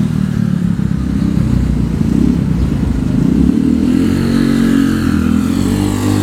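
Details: Honda Vario 110 carbureted scooter with new R-One standard-racing exhaust: steady deep quiet exhaust drone rising with throttle, carb intake roar and engine clatter on top; quieter than previous exhaust, running fine.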